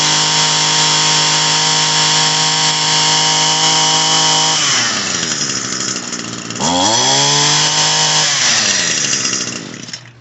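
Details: Echo SRM-225 two-stroke trimmer that wouldn't rev up, after cleaning the clogged, oil-saturated muffler and cylinder: crisp steady buzz that drops then picks up cleanly and revs freely without bogging, smoking some as oil burns off.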